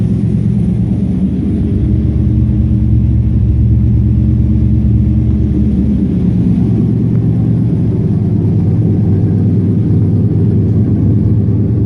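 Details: 1954 Chevy 150 petrol engine, warm, running after revival with original ignition switch jumpered: deep, steady rumble with mild swells as throttle opens, no knocks or rattles; normal engine revving.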